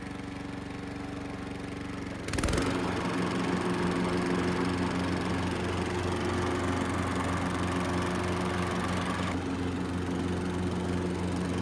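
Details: Riding lawn mower after a DIY fix, test run: steady single-cylinder drone that deepens and loads up when blades engage around two seconds, running even and healthy; normal running with blades engaged.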